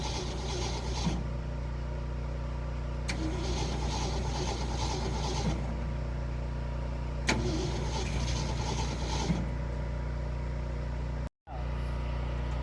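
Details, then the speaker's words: 1972 Ford F250 truck with a carburetor and no throttle linkage: three bursts of cranking, each a couple of seconds, never catching; it is not getting fuel through, and the accelerator pump is suspected. "What part of it's not working? It's not getting fuel through."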